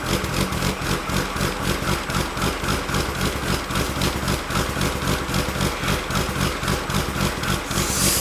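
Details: Built Nissan RB26 in an R32 GTR (fully ported/polished head, 260 Tomei cams), somewhat warmed up, original quiet exhaust: choppy loping idle pulsing three to four times a second; rotary-like in person. Normal lumpy cam idle.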